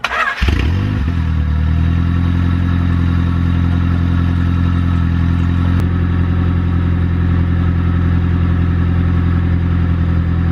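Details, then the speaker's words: Honda EG8 first start after build, chipped ECU, idling to check the cooling system; after catching, settles into a smooth steady idle with deep even hum and no knocking, normal. "let's just make sure that we can idle and that we have our cooling system working properly."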